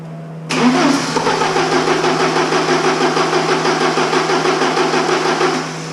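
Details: Porsche 944 with fuel injector problems, timing confirmed at TDC: even starter cranking around three beats a second with uneven compression pulses, no firing; it ran on three cylinders with cylinder 2 injector unplugged but only cranks once plugged back in. Cause not yet known.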